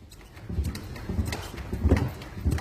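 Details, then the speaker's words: Renault Duster with rear knocking complaints, car rocked on the ground with the exhaust checked as secure: dull low thuds about every two-thirds of a second from the trunk. A loose jack and fire extinguishers are knocking, and the fix is to secure them. "Стук идёт. Стой, качай. Всё. В общем, необходимо закрепить домкрат."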